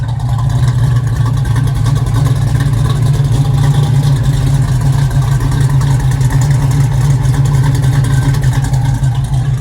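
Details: 1969 Chevrolet Nova, 427 GM crate V8 with FiTech EFI, Headman headers, Flo Pro dual exhaust, 4-speed manual: deep, steady exhaust rumble with an even, fast beat, nothing rattling; healthy.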